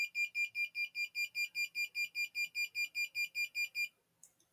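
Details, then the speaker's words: ESP32 fire alarm system with infrared flame sensor and MQ-2 smoke sensor: flame brought near sensor triggers a sharp high-pitched buzzer pulsing about two and a half times a second, steady and even, then stops. "now we are bringing some flame close to the flame sensor and you can hear the buzzer is making the buzzing sound"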